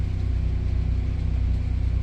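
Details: Fischer Panda generator on a Regal 36 XO boat, after its cooling system was fixed, running under load for almost an hour: steady, even low drone with no knocks or surging. Temperatures read normal, coil hot at over 240 degrees as usual.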